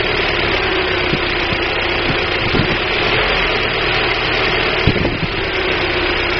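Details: 1999 Daewoo Nubira 2.0L DOHC U20SED four-cylinder at idle runs rough, with irregular ticks and stumbles breaking the hum; misfire, with weak spark from the DIS coil suspected but not confirmed.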